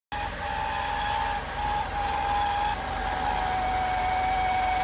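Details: 1992 Mercedes 300E: steady high-pitched whine over the idle at a constant pitch, only at cold startup, gone once the engine is revved and warm; cause was the water pump.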